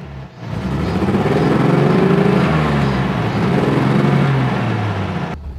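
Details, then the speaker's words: 1955 Mercedes-Benz 300SL Gullwing, inline-six (215 hp at 5,800 rpm), just started after fuel pump priming: smooth straight-six climbs cleanly on each throttle blip and settles back evenly, crisp pickup, no knocks or misses; normal engine revving. "time you step on the accelerator pedal, you hear a mechanical sound The engine was made with the technology that was used more than 60 years ago but it sounds very modern."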